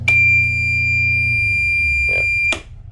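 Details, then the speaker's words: Pursuit 365 Sport Coupe boat generator running when fire suppression override is flipped: piercing steady alarm tone as the generator drone dies away; fire suppression system fault shutting the generator down. "It shuts the generator down because there's something wrong here, or that box down there. Something going on there."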